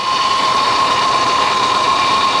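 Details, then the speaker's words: High-mileage car with a 3800 engine at idle: a loud, steady, high whine at one pitch over the engine. Suspected power steering pump whine, possibly from a slow fluid leak; adding fluid might quiet it. "that power steering pump is just whining you may get lucky and uh you know may have a slow leak if you're lucky put a little bit of power steering fluid in her and uh she might quiet right down for a little while"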